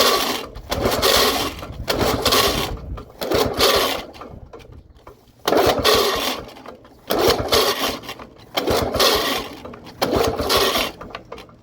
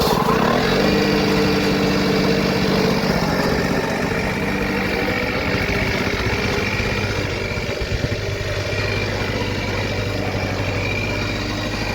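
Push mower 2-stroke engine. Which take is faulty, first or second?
first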